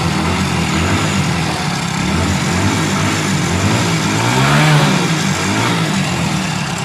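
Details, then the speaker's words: Hero Splendor motorcycle engine running with dry busy clatter over the exhaust, swelling on a brief rev; loose timing chain, to be tightened and replaced. "तो इसमें इसमें problem अभी आ रहा है engine का timing चल रहा है।"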